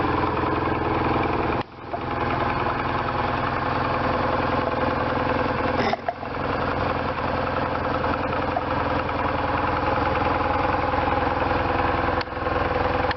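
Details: 1998 BMW R1100RT boxer twin, first start after restoration, before throttle body tuning and with switch wiring unfinished. It holds a steady, slightly uneven idle with no knocks or rattles: running fine.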